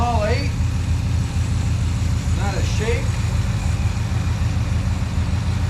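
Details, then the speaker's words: 1962 International Harvester C112 pickup V8 after Holley 2-barrel carburetor rebuild: low, steady burble through true dual glasspack exhaust with an even beat and no stumble or shake; idling smoothly on all cylinders. "so we my Lord what a good running truck tonight this bad girl's got true dual exhaust with glass packs things awesome"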